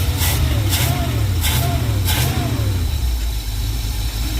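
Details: Carbureted '52 vehicle after replacing the leaking accelerator pump diaphragm on the carburetor, idle set up slightly: low, even rumble with smooth unbroken rhythm, no stumble or hunting, no more fuel drips; normal idle.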